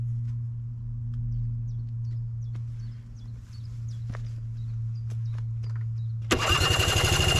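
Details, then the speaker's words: Vespa PX scooter after a brand-new carburetor swap: steady starter drone with no catch or firing pulses, then a rapid clatter; no spark, CDI supply cable disconnected. "oh no!!! that cannot be true!!! why the engine still does not want to start???"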